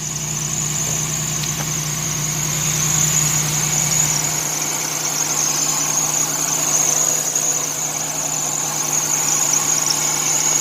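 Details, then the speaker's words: 1990 Chevy Lumina Eurosport 3.1 V6 petrol, front-wheel drive, at idle; steady high-pitched belt squeal from a bad belt tensioner and crank harmonic balancer, belt not old; catalytic converter also rattles when cold; some wind noise. "ause both those two items are making the belt squeal the belt's not even that old"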